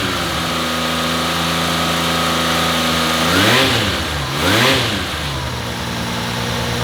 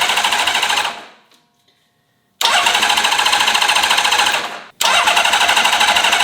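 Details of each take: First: Rebuilt-carb Honda CBX, restarted after sitting a couple of weeks with a battery needing charge. An even idle that climbs cleanly through two quick blips and settles back steadily. Once enough gasoline reached it, it revs and runs normally. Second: Honda CBX inline-six motorcycle, first start attempt in 20 years after a full carb rebuild, vacuum system ignored: starter spins with quick, even pulses in two bursts with a pause between; never catches, cranks but won't start. It later started after more fuel was added.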